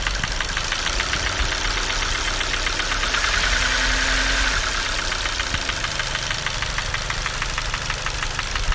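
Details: Hyundai G4NA petrol engine at idle: sharp steady tapping about three a second from the top end near cylinder 1 and the exhaust camshaft, persisting after chain and phaser replacement; phaser valve reportedly fine.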